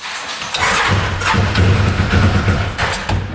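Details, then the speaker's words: 2013 Arctic Cat Wildcat 1000cc UTV that won't idle: cranks, runs lumpy and uneven a few seconds, then dies; one exhaust pipe stays cold, one cylinder not firing, timing possibly wrong after dealer work on that cylinder. "oh that pipe is cold one cylinder and that's why it's not firing or timing could be off"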